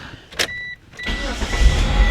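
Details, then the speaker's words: Flood-damaged Eclipse convertible restarted after bolting it back up: dash chimes, then it fires right up at once into a steady, even rumble and dash lights go off; normal engine start. "Fires right up like it should."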